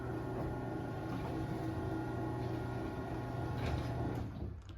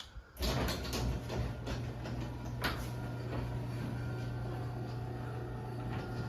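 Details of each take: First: LiftMaster 8355 garage door opener after replacing the Torque Master with extension springs: smooth, steady low motor hum with an even drive for about four seconds, then a clean wind-down; quiet, healthy run. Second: LiftMaster 8355 garage door opener after replacing Torque Master with extension springs, door running down: even low motor hum with light irregular rattle; possibly the trolley, not confirmed.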